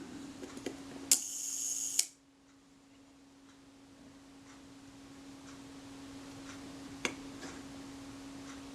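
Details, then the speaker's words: Braun Paxette Reflex Automatic 35mm SLR shutter during servicing, test release after setting the gear-train adjustment near center, before the speed cam plate is fitted: about a second of fine, even escapement buzz stopping cleanly; sounds right. "we'll release the shutter and see what we get"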